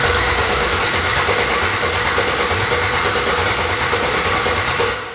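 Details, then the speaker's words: LS-swapped Chevrolet S10, first open-header start on a bucket fuel supply: steady rhythmic cranking around three beats a second that never catches; it turns over but something is missing. "that sounds almost like it's not getting something though something is not getting we'll give it one more go see what happens yeah okay so we're missing something"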